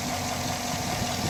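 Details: 2010 Chevy Silverado V8 after a head teardown that found a chewed-up lifter, with a new cam recommended: steady, even idle with no stumble; the scanner shows zero misfire counts, including the former cylinder 7, and no check engine light.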